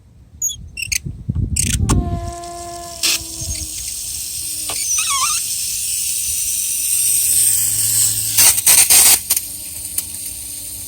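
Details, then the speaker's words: Outdoor faucet (hose bibb) turned on for watering: steady buzzing hum with ringing overtones heard throughout the house, caused by a faulty bibb vacuum breaker; replacing it fixed the hum. "every time i cut this water on it makes a hum"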